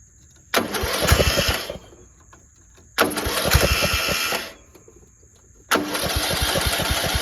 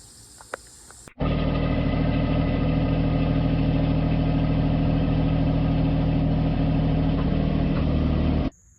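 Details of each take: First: Cheap single-cylinder riding lawnmower after bolting a part back on with a replacement 5/16 bolt and no gasket: fires in short runs with a fairly even beat and no loud exhaust rasp, much quieter; still blowing some oil from somewhere. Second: Cheap riding lawnmower, single-cylinder at steady idle: loud, raspy chuffing much harsher than normal; possibly a loose muffler with missing Allen bolt leaking exhaust, before exhaust fix.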